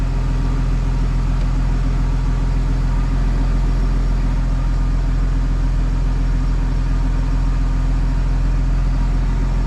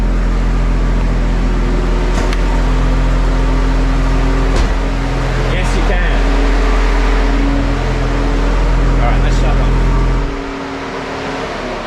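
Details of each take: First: BMW N54 single-turbo running E60 fuel after a successful MHD flash, with no check-control errors. Smooth, even low idle rumble with no stumbles or hunting; rail pressure has settled around 6.50. Healthy idle. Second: BMW N54 engine idling on cold start in a garage after a corrupted MHD flash done from an iPhone. About 20 seconds after starting it sets an engine fault and rail pressure drops. The cooling fan roars at full speed, partly masked by a loud dual-mass flywheel.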